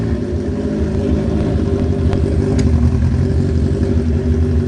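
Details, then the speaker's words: First start of a restored carbureted motorcycle, idle set to about 1300 rpm. Steady idle with a smooth rise when blipped and no stumble or sputter, though the owner first suspected a slight miss. Normal idle and throttle response. "And I mean, you heard it when I was blipping the throttle. There was no dying, there was no, you know, sputter or anything right off idle,"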